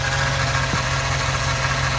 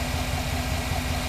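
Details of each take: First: 2009 Chevy Silverado idling, whine first blamed on power steering pump, already bled and tested: steady whine over even idle; points to a dry idler pulley bearing. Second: 2009 Chevy Silverado idling after replacing faulty idler pulley and motor mount work: smooth even idle with steady low rumble, no whine or chirp from belt drive; normal idle, whine gone.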